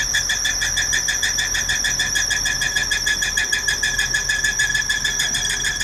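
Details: Engine abnormal noise recorded 23 Feb 2018: loud, piercing high squeal pulsing steadily over the running engine; source not pinned down.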